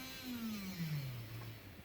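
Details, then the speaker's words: HST model locomotive with CD motor and DCC conversion, cranked up: thin electric whir sliding down in pitch, the motor spinning but the drive not engaging; back to the workshop. "You can hear the motor going. So, not quite back to the drawing board, but back to the workshop certainly, and just need to put a bit more effort into it."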